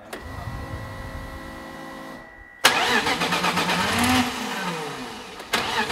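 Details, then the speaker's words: BMW E30 with M52 turbo engine build on Megasquirt, first start after head assembly and cam timing: wavering low moan over the idle from the power steering pump with air inside. "What is that noise? Strange noise. It's power steering pump. When those do work? That's quite funny sound. What it is doing? There is air inside the pump."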